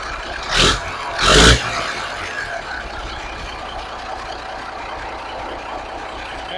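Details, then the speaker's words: 1983 Kenworth cab-over, Cat A-model diesel, after setting pump timing and overhead, running on electric fuel pump (mechanical pump not working); after loud air hisses, settles into smooth steady low idle, no knock or miss; exhaust looks fairly clean. "But man, listen to it purr like a kitten. And then look at that exhaust. It's pretty clean, right?"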